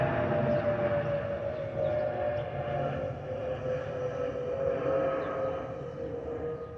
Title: Delta Airlines Airbus A320-212 N360NW DL2342 BUF-DTW (FOPP whistling sound)